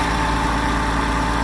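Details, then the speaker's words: Hyster H80C forklift running after fitting a new fuel line and new fuel filter: smooth, even low idle with a steady pulse, no misses or surging; running nice, normal idle. "it's a new fuel line with a new fuel filter as you can see it's running nice she fired up no problems"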